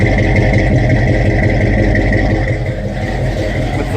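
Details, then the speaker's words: 1966 Ford Mustang V8 cold start after sitting six months, fired right up: deep, steady burble at a slightly fast cold idle, even firing with no knocks or misses; healthy cold start. "oh man listen for that v8 power it's been so long Bessie I've missed you cold start six months and started fired right up"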